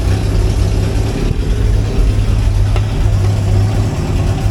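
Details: Idle with a steady, even, unhurried beat and no knocks or misses on a 1963 Hillman Super Minx after fuel pump repair and negative-earth conversion; charging, warning light off, oil okay; normal healthy idle.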